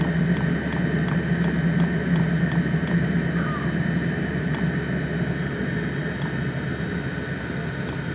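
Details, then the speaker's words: Brand-new Vevor compact diesel air heater after a long press of the power button to shut down: steady, even fan rush with no combustion roar as the blower runs through its cooling phase. Normal shutdown. "It says for the shutdown operation, in the power on state, long press the power button for. So that's what we'll do, and it'll enter the shutdown and cooling process."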